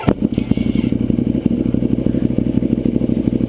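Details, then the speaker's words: 2009 Ducati 848 with competition slip-on exhaust, after repairing a disconnected fuel pump hose and filling the tank: brief crank, catches quickly into a steady even pulsing run with no misses; cranks faster now, normal start. "cranks up a lot faster now and that's just vibration that you see there in the fuel"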